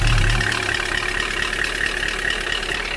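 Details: Cold idle with a quick light tapping about four per second over the engine note; knock attributed to a frozen oil pickup causing oil starvation, not confirmed.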